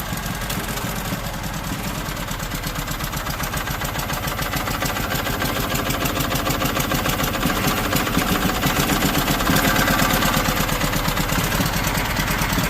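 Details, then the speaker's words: Small engine, just warmed up after a reluctant start: an even, steady putter of about four beats a second with a loud exhaust. Running much better, normal idle. "Seriously, this thing has been running so much better."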